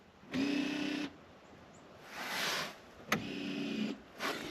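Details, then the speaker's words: 1996-1999 Chevy Silverado K1500 GMT400, 5.7L 350 Vortec, front differential actuator on crude diff-lock switch: two short electric whirs a few seconds apart with steady hum; actuator shifting normally; earlier fault was a bad signal wire. "Now, on mine here, you can see I crudely have just diff lock. And when I flip the switch, you can hear it."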